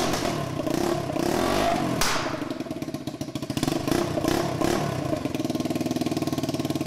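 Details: 150cc Yerf Dog shifter kart on its first test drive with gearing too tall: uneven, rattly engine with sharp pops as it revs, pulling weakly through the gears; running super lean, backfiring a lot and low on power.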